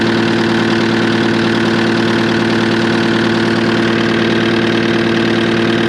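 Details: Cat 259D skid steer diesel after its 1500-hour service with a new fuel pump and filter: steady, even idle with a smooth low pulse around two beats a second, no miss or knock; running healthy.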